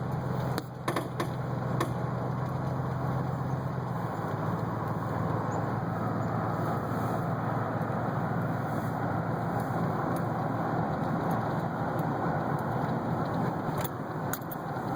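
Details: 2008 GMC Sierra 1500 4WD driving: irregular sharp pops from the front end over steady road and drive noise; suspected bad wheel bearing, not confirmed.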